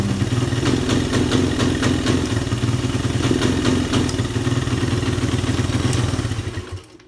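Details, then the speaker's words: Suzuki Satria FU 150, sometimes hard to start: idles normally but each throttle blip falls flat and revs won't climb; carburetor ruled out, ignition suspected, finding a bad engine ground wire. "Hidup normal tapi digas seperti ini ya."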